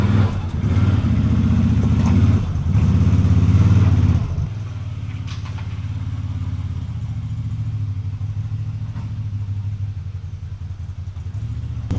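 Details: ATV winch after a shop replaced its cable, which then would not pay out properly: a deep, rough droning hum drops to a lower, lumpier rumble partway through. The winch sounds strained; the cause is unclear.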